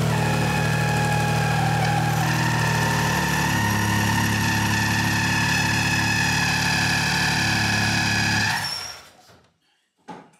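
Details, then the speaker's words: 1959 Aston Martin DB4 barn find, unstarted since 1982 or earlier, running after no-spark was fixed with new ignition parts: six-cylinder fires and holds a steady, even idle for several seconds, then shuts down cleanly; runs healthy. "wasn't it great great to hear that db4"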